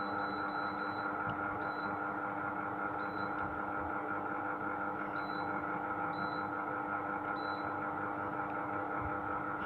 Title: (GREE OEM) SHARP AH A5UCY AIR CONDITIONER [NOISY]